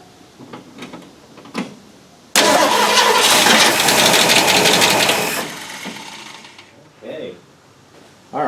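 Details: 1965 Mustang with points ignition, sat for a long time, carburettor primed by hand and no fuel in the tank: starter whirs about three seconds, then it catches briefly and dies. Fuel starvation; fuel line was blocked at the tank, pump eccentric suspected.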